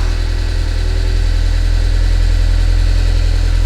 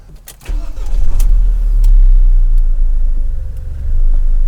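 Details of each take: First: 2006 Audi A4 Cabriolet S Line petrol engine: heavy uneven drumming with hard clatter at about three pulses a second. Rough running that sounds almost like a diesel; low oil pressure mentioned, cause not confirmed. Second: 2006 Audi A4 S Line convertible, engine that earlier ran rough, diesel-like with no oil pressure, now after repair: cranks, catches and settles into a smooth, quiet, even hum without knocking or rattling; running normally.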